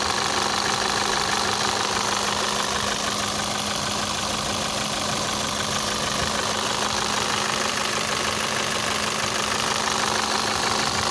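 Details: 2012 VW Passat CC 2.0 TSI (EA888 gen 1, CCT), 189,000 km, cold engine idling after oil top-up: hard, steady tapping knock about three per second, unchanged by oil; piston knock, teardown for rebuild.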